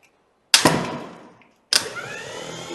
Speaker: now we have the motor turn while turning and not the solenoid engaging saying the motor is working properly